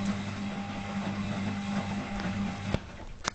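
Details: Zanussi FL1012 washer on program D, fast coloureds heavy soil at 60°C: steady motor hum with a rough mid-pitched grinding growl, worsening over several days. It seems not to come from the drum; owner is unsure whether worn brushes or the motor is the cause.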